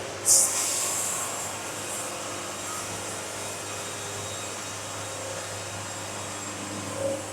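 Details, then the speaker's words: Basic hydraulic band sawmill quarter sawing a cant clamped with backstops, steady even hiss of the blade through the wood with no chatter, squeal or surging; normal band saw cutting, "old band singing". "I got the old band singing. That sounds good. Quarter sawing's fun."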